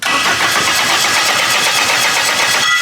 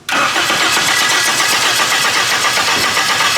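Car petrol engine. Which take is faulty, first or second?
first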